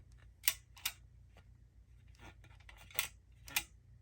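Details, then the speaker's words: Brand-new Titan Rig radiator straight out of the box: short bursts of light metallic rattle each time it is tipped. Something loose inside the radiator, not the fins. "but the biggest concern really is there sounds like something's loose in it"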